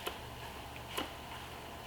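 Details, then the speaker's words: GM LQ4 V8 rebuild, crank bearings and rods installed, crank shoved in and out with a rubber dead blow: three faint crisp clicks about a second apart in a quiet room, tight crankshaft endplay, measured within spec. "You can't see it move, but you can hear it. So as long as you hear that, you know you got like a tight clearance if yours sounding like mine."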